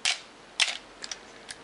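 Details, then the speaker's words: Canon AE1 Program 35mm SLR with 50mm FD f/1.8 lens, untouched as found, set to 1/2 second: two crisp clicks about half a second apart, no typical Canon squeal; shutter opens and closes normally. "It does not have that characteristic squeal that many Canons have after they've sat for many years. I have not done anything to this, it is just the way it's found."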